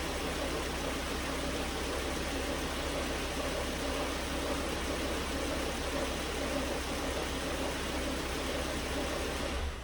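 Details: 2009 Volvo S40 T5 AWD R-Design, flood-damaged Copart car, alternator idler pulley had failed, low battery on a charger: even steady engine hum with no knocks, misses or rattles; engine running smoothly.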